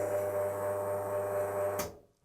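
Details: Wega commercial espresso machine, side and rear panels off, running a programmed timed dose button: steady pump hum with a low drone for about two to three seconds, then cuts off cleanly; normal timed pump cycle.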